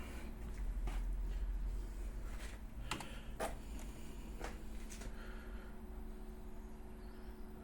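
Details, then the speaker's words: Cheap Chinese diesel air heater warming a garage, fan on speed setting three: quiet, steady low whirr while the glow plug warms up for a few minutes before lighting, depending on how cold it is. "so yeah it just takes a few minutes for the glow plug obviously depending on how cold your garage is"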